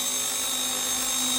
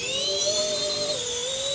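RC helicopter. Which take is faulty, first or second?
first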